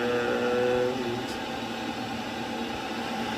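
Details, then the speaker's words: Worcester boiler after a condensate blockage leaked water into the fan; a new fan was fitted. Steady, even whirr with no rattle or scraping; the fan runs freely and sounds healthy. "So put a new fan in, that's all running well."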